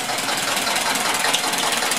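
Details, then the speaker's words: 1999 Metro Listeroid 6/1 single-cylinder diesel generator, rebuilt, test install, loaded with two 1500 W space heaters (3000 W): bogs down then steady, even running, no misses or knocks, output 60 Hz, 120 V per phase; healthy. "She's running good. We can see we're running 60 hertz, 120 volts per phase,"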